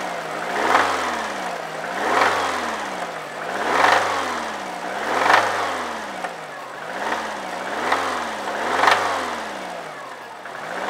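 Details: 2002 Subaru WRX engine, repeated quick throttle blips: harsh metallic knocking rattle at the top of each rev. The owner says it needs an engine.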